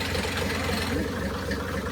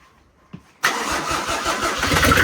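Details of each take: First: 1984 Mercedes 380SL with swapped turbo OM603 diesel, just after first start, in neutral, throttle not connected: low, slightly uneven lumpy idle clatter under quiet chatter; idle unsettled and not yet adjusted. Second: Turbo OM603 diesel swapped into a 1984 Mercedes-Benz 380SL with a 716 six-speed gearbox, after glow plugs: brief crank, then the engine catches at once and settles into an even, clattery run with no stumbling.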